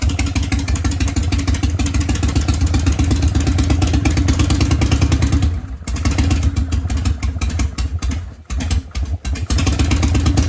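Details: Harley Panhead V-twin, cold-started with choke after new point gap and ignition timing set more advanced: deep, even loping idle with crisp timing and a few momentary dips; earlier backfiring, running hot and surging.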